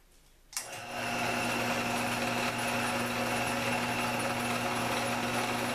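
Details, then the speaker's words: Old drill press unused since the 1970s, freshly lubricated, first switch-on in smallest gear for maximum speed: steady even motor hum with a clean constant tone, no knocks or grinding; normal running. "So we're about to give it the smoke test and turn it on and see what happens."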